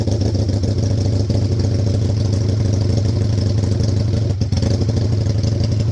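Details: 2002 Aprilia RSV1000 Mille V-twin project bike, fired up again, throttle cables needing replacement, clutch fluid probably due: big twin idles with an even, throaty beat at steady speed, no tapping or misses. Normal, healthy idle.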